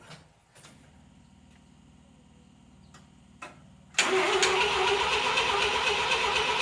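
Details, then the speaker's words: 1979 Mazda SA RX7 cranks at about four beats a second after faint starter clicks; it seems to have compression and chugs slightly but won't fire. Carburettor suspected, to be cleaned with brake cleaner. "yeah that's what i was thinking so starter spins obviously cranks over sounds like it does have compression it kind of chugged a little bit um but it's not starting"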